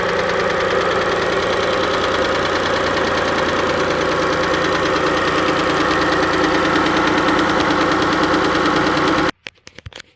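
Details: Engine warm after cold start, before adding Lucas oil stabilizer; ticky on cold start, then steady, fairly regular knock about three per second at idle; cause not yet determined: engine knock at idle.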